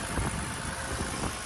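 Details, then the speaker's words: 2009 Lexus ES 350, auction car started on a jump pack with the alternator charging above 14 V: an even, gentle idle with soft regular pulses, no misses, ticks or knocks. Normal idle; later revving produced white-bluish smoke from burning oil. "Okay, so as you can hear, guys, the engine is running smooth. Nice, pretty nice."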